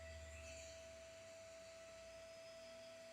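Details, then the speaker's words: Voron 2.4 3D printer's 48V/24V/5V power supply with a 60 mm 12 V 3 A fan run at 12 volts, microphone on chest about 1.5–2 feet away: constant mid-pitched whirr, steady tone, no ticking or rubbing; normal cooling fan run, just loud. "honestly it's not as bad as I expected"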